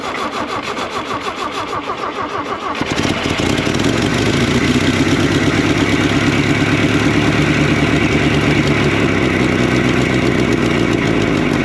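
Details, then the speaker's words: 1964–67 Toyota Stout 3R four-cylinder, unrun since 1984, with coil hooked up and working fuel pump. Cranking catches about three seconds in, then a steady, even idle with no knocks, misses or smoke and over 60 lb oil pressure: normal idle. "Sounds good. They're idling. Not smoking. blowing corn. This truck's not even smoking. It sounds great."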